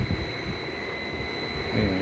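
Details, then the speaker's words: Heat pump compressor cooling on first stage after thermostat turned down, inverter-driven at 40 Hz: steady high whine over low rumble with wind; abnormal at 40 Hz but sounds normal at 60 Hz; cause not yet known. "you can hear the compressor when it's on 40 hertz but it sounds normal when it's on 60."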